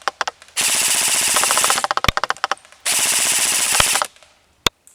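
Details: Krytac LMG Enhanced airsoft gun at 345 fps, full-auto firing test with 0.25 g BBs at 40 m: crisp rapid bursts of evenly spaced shots with quick, clean cycling; normal full-auto firing.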